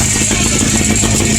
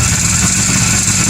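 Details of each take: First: 1957–58 Berkeley SE328 barn find with a serviced Excelsior two-stroke twin, first run after years parked: busy, buzzy two-stroke rattle at a steady speed, even and unbroken like a lawnmower. It is running fine, pretty good, before being shut down. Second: Rare 1957–58 Berkeley SE328 barn find with an Excelsior two-stroke engine, unrun for years, serviced, first start with throttle: raspy, ragged two-stroke buzz, uneven under throttle. It runs rough and needs a tune-up.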